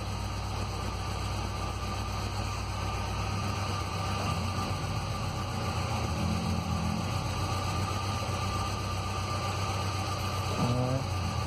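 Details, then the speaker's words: 2006 Ford Ranger 2.3L four-cylinder, 188,520 km, shaking at startup, power loss, exhaust smoke, no check-engine light: rough uneven idle with irregular stumble; cylinder 3 misfire traced to a leaking exhaust valve. "muy tembloroso y es típico característico de una pérdida de combustión algún cilindro es muy muy notorio"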